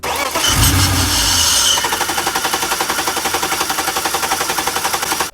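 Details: BMW E46 323i with M52 engine, hard starting for months, needing a ten-minute wait: starter turns over at an even beat, about 220 a minute, but never catches despite fuel pressure, injector pulse and spark; crank no start, traced to failed air flow sensor.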